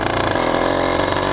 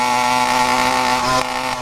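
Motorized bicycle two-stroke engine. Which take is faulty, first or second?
first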